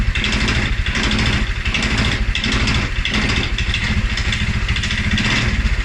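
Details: 2011 Polaris Sportsman 550 XP single-cylinder EFI: thump surges and dips unevenly after restart, stumbling with rough idle, also stumbles on cold start; TPS, IAC, TMAP in spec, valves, timing, plug and 43 psi fuel pressure good; cause unknown.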